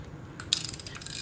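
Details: Used Japanese-market fishing reel being test-retrieved: fine, even gear whir with light ratchet ticking as the handle turns. It retrieves smoothly with no grinding or catching.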